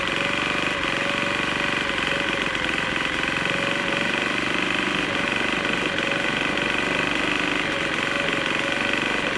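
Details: Troy-Bilt TB4HB EC leaf blower, unstarted 4–5 years, full choke, primed: high buzzy note wavers and stumbles instead of holding steady pitch, running rough. Air breather loaded with oil; owner suspects compression leaking past rings, unconfirmed.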